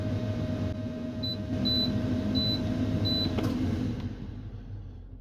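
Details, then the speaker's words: 2014 International 4300 MaxxForce diesel, ignition on engine off, fifth priming cycle after fuel filter change: faint steady electric primer pump hum with soft periodic beeps, then cuts out; normal operation, no leaks. "By priming, this is also a good time to see if your filter is leaking. Everything looks good so far. We just continue to prime. We are currently on the 5th cycle."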